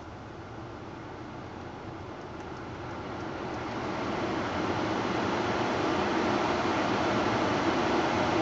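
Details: Petrol car engine with a steady hard clatter of about three beats a second that grows as revs rise, sounding like a diesel; cause unclear. Diesel-like clatter.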